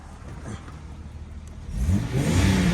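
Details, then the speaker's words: 2000/2001 Jeep Cherokee XJ, 2WD, 4.0L, about 177,000 miles, heard from inside: quiet low hum, then revs climb smoothly with an even, deep pull and no knocks; the engine sounds healthy. "Listen to that. Sounds pretty good. Not bad."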